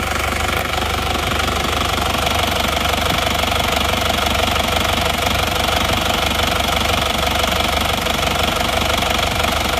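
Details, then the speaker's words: Panther diesel from Probolinggo, engine getting warm at idle: loud clatter with a harsh chuffing beat about four a second. Blow-by grows as it heats; compression leaking past the rings is abnormal though not severe, and ring replacement is likely. "Tapi ini emang sudah kebocolan kompresinya emang sudah tidak wajar walaupun tidak parah tapi ini tidak wajar"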